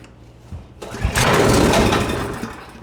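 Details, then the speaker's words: Husqvarna ST224 two-stage snowblower with a no-start, fuel on, choke on: brief cough and roar as it fires on starting fluid, then dies; ignition confirmed, fault is fuel delivery, carb bowl to be drained and cleaned. "So, there you go. Popped right off. That confirms to me that we do have ignition. Uh, but that we we have a fuel issue."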